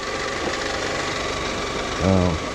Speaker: there's the shiny spot you can see it and that's the part that pulley on that tensioner is the bearings are going out of it